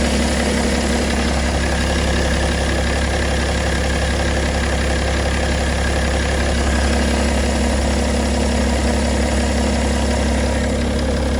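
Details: BMW E92 325d, M57 diesel: steady idle with a faint rhythmic rattle about twice a second over the deep clatter; owner suspects timing chain noise, unconfirmed.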